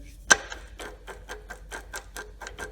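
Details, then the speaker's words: Servo 140 power feed being installed on a Bridgeport mill knee: rapid, even rasping clicks, about four a second, as the feed gears grind from too little backlash; shims of about 0.014–0.025 in are added until the grinding stops, starting with two. "hear that grinding add shims until you don't that's one way and they recommend they used i don't say recommended but they used about two so i'm going to start off with two"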